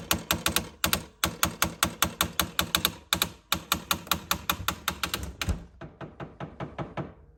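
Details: LG refrigerator model LRFVC2406S/02 making sharp, loud clicks in quick bursts of about four or five a second with short pauses, fading toward the end. Loud clicking.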